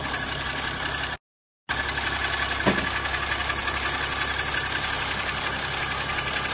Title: Bruit Moteur Chrysler 300c CRD